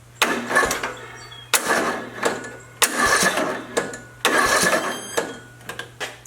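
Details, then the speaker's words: Craftsman LT2000 mower with a Briggs & Stratton 19.5 OHV engine, hard to turn over. Short, labored starter bursts with whine; the flywheel stops as if hitting a wall of compression and never fires. Faulty compression release on the camshaft. "A moment ago I had the camera focused on my Craftsman LT2000 lawnmower, and as you observed from that video clip, I'm having difficulty turning the engine over. It doesn't want to start."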